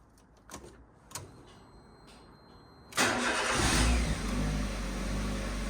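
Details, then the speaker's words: Ford Ka Tattoo Limited Edition after starter motor and alternator replacement, belt not yet refitted: quiet clicks, then the engine catches at once and settles into a steady, even idle with no odd noises; starts and runs normally. "That sounds so much better. Just straight away."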